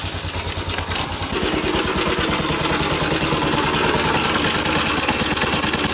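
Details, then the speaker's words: Postie Bike with low power at idle: small single puttering with a thin high squeak over each beat, about three per second; source not located, possibly engine or parts rubbing; valve clearance check planned. "So you can hear that real squeaky noise. We can't really locate whereabouts it is."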